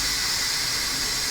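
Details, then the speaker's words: Instant Pot pressure cooker in keep warm mode, pressure released manually: steady high-pitched hiss of steam venting; normal pressure release. "Now I went into keep warm mode for 8 hours. We're going to let the pressure out manually."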